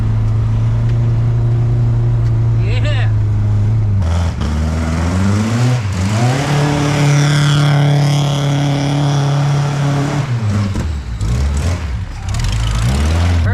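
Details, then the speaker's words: Supercharged 1971 Volvo 1800E four-cylinder with a T-5 five-speed and MSD ignition box. An uneven, shaky idle with a lumpy pulse that stays ragged when revved; a spark fault is suspected. "got a palsy in it that sounds like spark"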